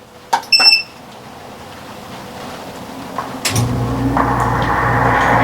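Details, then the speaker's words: BaseAire Airworks 35P 70-pint crawlspace/basement dehumidifier with pump, running in a shop: a click, then from about 3.5 seconds a steady low hum with soft fan rush, even and fairly quiet; normal operation. "It's probably hard to hear with the microphone, but it's really not that loud at all. If this was in a crawl space, you wouldn't be able to hear it upstairs."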